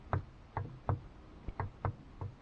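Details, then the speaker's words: 2012 Volkswagen Jetta at 20,000 km, a light knock over bumps from the top of the left front strut: sharp, hollow knocks about three a second with no engine sound. About 5 mm play between the spring and its top cup; fixed with a rubber hose sleeve on the spring. "volkswagen jetta 2012 год на пробеге 20 тысяч километров начался звук легкий при переездах кочек с верхней части стойки левый амортизатор нас вот такой большой люфт от чашки к пружине миллиметров 5 точно есть"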